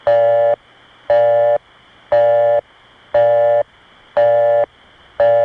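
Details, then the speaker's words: Early-1980s Brooklyn Crossbar 5 via Brooklyn Tandem: a clean two-note tone switching on and off about once a second, played slowed for comparison. Genuine Crossbar 5 busy signal, not the imposter version. "This is a real example of the busy signal we used to call Crossbar 5 busy. It's the real item."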